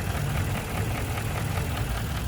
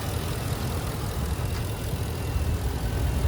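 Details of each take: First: 2017 Ford F250 Lariat Super Duty, 6.2L V8 with automatic transmission, recorded in the open engine bay. Steady idle with a light, fast, even tick on top. Said to be a common Ford 6.2 noise from the intake runner, not an engine fault. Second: 2017 Ford F250 Super Duty 6.2L V8, recorded in the engine bay with the intake runner held to stop the common loose-runner tick. Deep, even idle with a steady low rumble and no ticking or misses; smooth and healthy.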